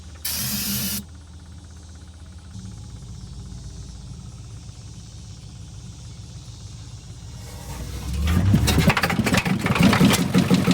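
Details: 1986 Ford F350 with 6.9 L diesel, Texas truck, tow-started with a strap around the crank: rough fast idle, then loud uneven clatter and heavy knocking with lots of smoke.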